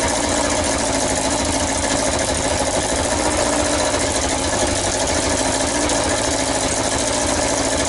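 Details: Yamaha XJ900S Diversion first start after restoration: harsh raspy idle with hissing puff on every beat; exhaust blowing from the front header pipes, gaskets slipped or needing more tightening, not the manifold.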